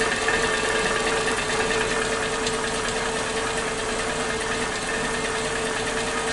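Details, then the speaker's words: Suzuki Katana engine at idle after valve clearance check and readjustment, crankcase breather hose to airbox disconnected: light regular ticking about two per second over steady hum; owner suspected loose valve clearance, but tightening didn't cure it, likely normal. "Tidak bisa halus banget, tetap ada suara berisiknya, ada suara kayak ketukan-ketukan seperti itu."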